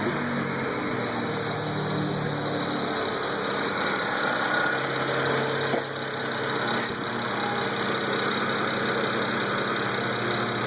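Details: BMW N54 petrol engine at idle with light quick ticking after a boost solenoid/pressure converter issue; replacing both pressure converters made the noise go away.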